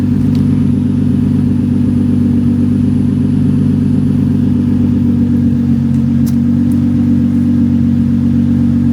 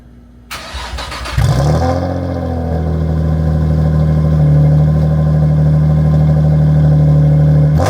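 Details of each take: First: Nissan 350Z with a roughly stock exhaust but the muffler disconnected: loud, deep, raspy drone at idle, far harsher than stock. Exhaust leak with the muffler disconnected. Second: Nissan 350Z, first startup on a cheap Marketplace exhaust with damaged tips: short crank, then a deep, steady, loud drone rising slightly. The engine idles normally, but the exhaust is too loud.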